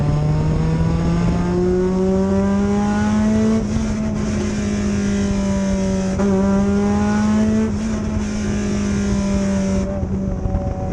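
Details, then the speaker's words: 2004 Acura RSX Type S dirt race car, long-stored; held high, note rising and dipping every couple seconds as revs hunt; suspected dirty screen, possibly VTEC solenoid, to be cleaned or replaced. Engine surging. "i had earplugs but it's surging now which is not a big deal we can clean that screen it's been sitting a very long time"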